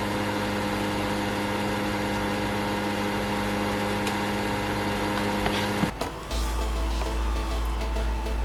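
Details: PlayStation 5 disc edition console, new out of the box: steady electric hum with a buzzy edge that holds then shifts; fan vibration buzz from loose fan mounts vibrating against the housing.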